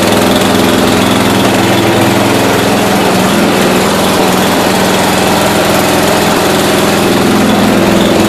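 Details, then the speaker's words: 1992 Yard King lawn tractor, engine that sat 7 years and was started at wide-open throttle, idles with a hunting surge of about three pulses a second; owner suspects carburetor adjustment or rebuild, valves, or cold weather. "but now I'll figure out why it's surging it probably just needs a carve adjustment and the earth cart rebuild even would be the best"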